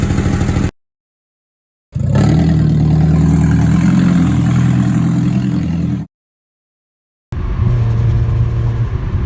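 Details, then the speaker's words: Exhaust leak: loud deep exhaust rumble with a rapid putter rising with revs; exhaust leaks often also bring an exhaust smell. "exhaust leaks do come in different shapes and sizes there's usually a smell also accompanied with an exhaust leak"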